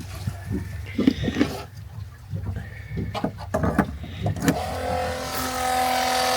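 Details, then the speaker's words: RV macerator pump after tightening lines and reconfiguring so it is not directly on the valve: a few clunks on connection, then steady even electric motor hum with water rushing through, no leaks, good flow; normal operation. "Looks like it's working. Hear going in here. >> Sounds like a good flow."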